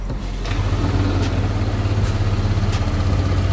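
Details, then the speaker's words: Yamaha Aerox 155 that bogged on initial throttle and topped out near 80 km/h, after cleaning the dirty ISC: engine idling with steady even putter, no stumbling or surging; back to normal. "Langsung kita coba gas bosku ya. Motor kembali normal bosku ya."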